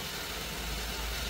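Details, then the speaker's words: Maruti Suzuki WagonR after AC compressor repair (compressor had stuck, clutch sparked, engine loaded down), regassed with R134A: smooth, even idle with AC on, no rattle or grinding from the compressor, cooling properly; normal AC compressor operation. "तर पाहू शकता AC एकदम proper वर्किंगमध्ये आहे. कुठल्याही प्रकारचा AC कॉम्प्रेसरमधून आवाज येत नाही आहे. एकदम स्मूथली वर्क होत आहे."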